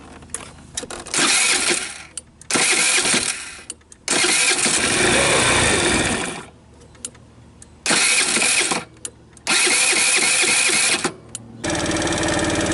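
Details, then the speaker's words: Tao Tao Thunder 50cc scooter at about 5488 km, after carb cleaning: engine catches in short ragged bursts, won't hold steady idle, tops out near 30, stalls after seconds or minutes, then is hard to restart until rested 30 seconds. "So I can keep it running while I'm riding it, but it maxes out about 30, nowhere near what it used to be, like way down here. And the same thing, it'll stall after a few minutes or a few seconds, and then it's tough to start, and then you just let it sit for 30 seconds and it starts up again."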